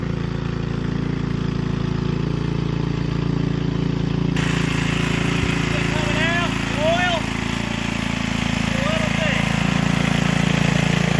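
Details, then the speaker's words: Gilson rear-tine tiller, a junkyard find from 4–5 years back, test run after cleaning dirt out of the sticky recoil. Steady, even low single-cylinder chug while tilling wet ground, no misses or knocks, birds in the background. Running fine. A fuel leak was noted at the tank/carburetor seam. "Well, runs good."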